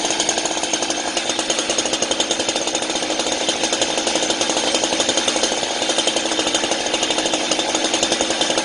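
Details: Chainsaw left running until its fuel is used up, for storage: sharp two-stroke buzz with a quick, even pulse holding steady, no sputter or surge; running normally.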